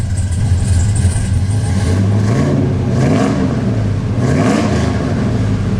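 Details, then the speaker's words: 2000 Chevrolet Silverado K2500 GMT400 freshly LS-swapped with big cam: loud, choppy, loping idle with deep exhaust note, normal cammed idle; some parts already leaking and possible small leak near a weld. "But man, she does sound pretty freaking good, guys. I'm excited. He picked a hell of a cam for this thing"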